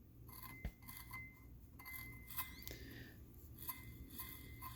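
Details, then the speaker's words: Turbocharger from a Nissan 370Z engine swap, removed from the car and spun by hand: a dry, uneven scrape with light metallic clinks. Owner suspects metal shavings inside and may pull it apart to diagnose. "that means you got some metal shavings in there"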